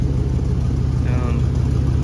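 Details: 2001 Chevy 2500 farm truck at first start after new nylon fuel lines, fired almost first hit: steady, low idle rumble with a coarse, puffing, tractor-like exhaust note; exhaust leak.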